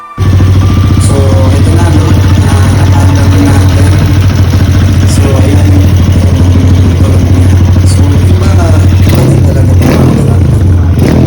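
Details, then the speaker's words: Kawasaki KLX 150 freshly rebuilt with a 193cc big-bore upgrade and a 30mm SWR carburetor. Strong low single-cylinder thump revving evenly under music, no knocks or rattles; running healthy. "So papanda rin na natin to, no, para madidig natin pare-parehas yung tunog ng motor na KLX 150 na naka 193cc, no."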